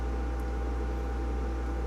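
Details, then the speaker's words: Recapped 60-year-old Perpetuum Ebner Model 99V amplifier at first power-up: a steady low 60 Hz mains hum with a thin constant tone riding above it, unchanging; the amplifier is oscillating. "Ooh, 60 hertz. Oop, I'm getting oscillation."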